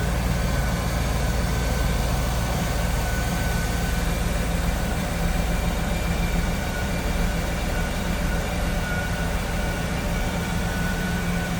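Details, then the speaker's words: 1997 Chevrolet Camaro Z28 30th Anniversary convertible, 5.7 L small-block V8, stock-looking engine bay: deep, steady burble at idle, even pulses, no ticking or misfire; running smooth. "Pretty stock looking engine bay. Running smooth."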